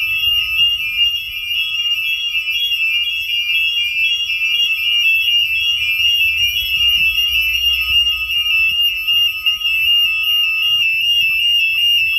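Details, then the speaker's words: Home alarm tested at night by opening the back door, fitted with a hidden magnet sensor. The linked smoke alarms also act as the siren. Piercing, continuous high-pitched shriek with steady pulsing tones; alarm sounding normally. "Brandalarmen virker også som sirene. Det har jeg aldrig nogensinde testet."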